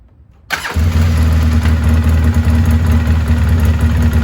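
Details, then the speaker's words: 2003 Polaris Sportsman 700 carbureted ATV after fixing a no-fuel no-start with a new diaphragm fuel pump, fuel filter, hose and switch: catches on the first crank and settles into a steady, even, low idle; normal start and idle. "not too bad huh so everything set we did the switch we did the pump she runs again everything's going good"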